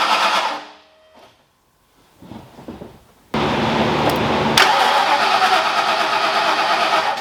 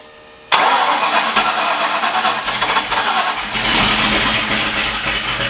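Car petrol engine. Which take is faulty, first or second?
second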